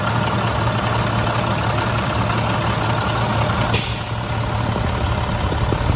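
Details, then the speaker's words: Rebuilt 466E diesel, first start after rebuild, following an earlier stall: a deep, steady diesel clatter at idle with an even beat and no knocks or misses. The engine sounds healthy. "but everything sounds great i mean to me that engine sounds very very nice"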